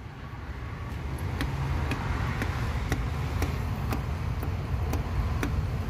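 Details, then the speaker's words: Nissan/Vauxhall/Opel EGR valve being commanded by holding a test button, engine idling: faint, light ticks about twice a second instead of a clear clunk. The valve barely responds and is likely dead or blocked with carbon. "that EGR valve is either completely naked or most public is just completely Kate full of crap that should be that should be clicking on a clicking where you hear clunk clunk clunk"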